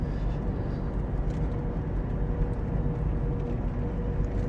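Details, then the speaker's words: Suzuki Caribian fitted with four fairly new mud-terrain tyres, towed behind a pickup at about 70–80 km/h: steady loud droning hum over road rumble, the typical howl of aggressive mud-terrain tread. "ม.คมีเสียงที่ได้ยินนี่คือเสียงยางตะขาบนะครับที่ใส่อยู่ในรถซูซูกิคาริเบียนนะ"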